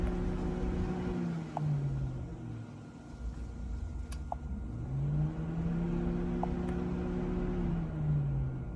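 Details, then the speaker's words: Electric cooling fan cycled on and off through a Launch X431 scan tool's active test with the engine off; whirring tone climbs, holds steady, winds down and rises again, normal cooling fan operation. "So let's take a listen and see what happens when I turn it on. You should be able to hear the fan come on."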